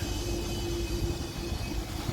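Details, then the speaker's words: Positive-temperature refrigeration rack (two cold rooms and a display case) with a leak on the liquid receiver: during recovery via station in liquid mode, continuous low rushing rumble, faint steady tone, no surges; normal refrigerant flow into recovery cylinder. "Là il y a déjà une partie qui rentre dans on entend le bruit, ça rentre dans la bouteille"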